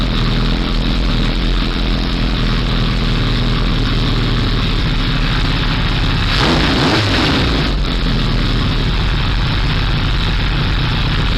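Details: 1978 Kawasaki Z1-R inline-four on the stand after re-jetting (20 and 117.5) and carb re-sync on a Carbtune Pro: steady, even idle, smooth low rumble, one brief throttle blip midway then settles cleanly; normal, balanced idle.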